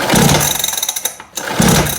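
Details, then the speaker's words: Small kids' quad that will not run, after an hour of pull-starting: two pull-cord yanks, each a quick rattling spin dying away with no firing stroke; pull-start cranking, no start. "Bon les amis, ça fait 1 heure que les deux zigoto que vous voyez sur la vidéo sont en train de tirer sur le lanceur."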